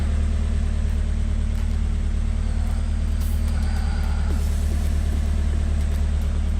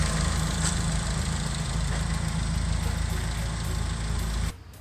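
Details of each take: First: Nissan S14 Silvia with a freshly built SR20DE+T on first start: deep, lumpy idle with an uneven pulse of about four per second. Ignition timing is not yet set, the check engine light is flashing, and vacuum reads -16 to -17; no smoke. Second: Nissan S14 Silvia with freshly built replacement SR20 (DE+T, N/A block) after swap of blown SR20DET, idling after test drive: steady even idle, smooth rumble, no ticking, then cuts off; things look OK, normal idle.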